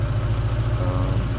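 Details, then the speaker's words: Holden Barina ML at idle with hose pulled off the air-injection reed valve: fast, even puffing pulse about ten a second; unclear if normal or a damaged reed valve, suspected, not confirmed. "So when I pull that off, as you hear, it makes that sound. I'm not sure if that's normal or if that's always happening and that when it's just masked when that's on there."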